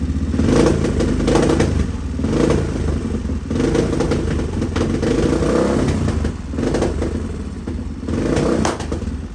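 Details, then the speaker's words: 1986 Honda XR628R with dual carbs, after jetting bumped leaner, breaking up above quarter throttle: big single revs unevenly with sharp pops and stumbles; popping on throttle, owner suspects lean running on the secondary carb. "Popping. I don't like that. That tells me it's lean."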